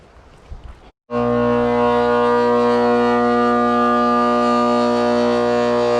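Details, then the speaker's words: Trane R22 condenser, quarter-horse 208/230 V 825 RPM fan motor, intermittent running and clunking, capacitor tested good: loud steady siren-like whine with stacked even tones; fan motor bearings shot, motor needs replacing. "Clearly that thing is loud as it can be and needs to be changed."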